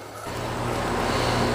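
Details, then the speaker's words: York Affinity R22 condenser after leak repair and a 7 lb 4 oz refrigerant charge: a soft, even rush of fan air with a low hum builds as the unit comes up. Runs quietly and normally. "all right 7 lb 4 oz later and she's alive and running these units are very quiet they're good running units"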